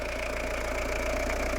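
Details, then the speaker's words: Citroen Dispatch/Jumpy diesel after engine and clutch install, front reassembled: an even idle with steady, regular clatter and no misses or knocks; normal idle. "all the ignition is already on there we go people lovely sorted it's done really nice"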